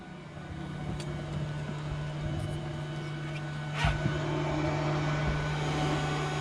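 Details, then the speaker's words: Mercruiser boat spring prep, key on with engine off: engine bay blower runs with a steady, even low hum, no surges or rattles; blower working normally. "We can go ahead and check our blower, make sure that that's working."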